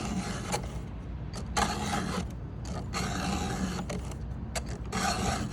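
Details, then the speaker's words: Hand-filing a chainsaw chain during sharpening: repeated rough, gritty rasping strokes, about one a second, as the file bites the cutter cleanly with pressure pushed toward the cutting edge. "and it should only take two three two or three like that see all the metal that falls out you hear it grinding"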